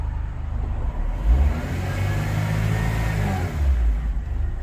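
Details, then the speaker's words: Honda Civic EF sedan, after blow-by box gasket work: it idles and revs cleanly, but a heavy low rolling rumble and shaking ride along with the revs. The source is unknown. "so after all that i still have this little shake oh you can see it but if you put the mic up you can hear it it's just vibrating away i don't know i don't know what that is"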